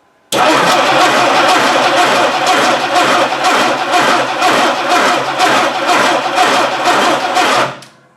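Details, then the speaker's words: 1960 Dodge Dart Seneca, newly installed engine, coil hot-wired to the battery: even starter cranking about two beats a second for seven seconds with no firing; no spark because the distributor gear is stripped off and spinning. "didn't seem to have any power to the coil so i'm just going to hot wire right to the battery and we're going to see what we're going gonna get"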